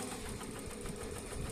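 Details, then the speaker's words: New computer embroidery machine stitching with steady tak-tak tapping underneath, about seven or eight per second over the hum; thread bunched messily under the frame at the bobbin, having broken four needles. "కింద టకటక్ అని sound వస్తుంది మన stitching machine కదా sound difference ఎలా వస్తుందో అలా వస్తుంది."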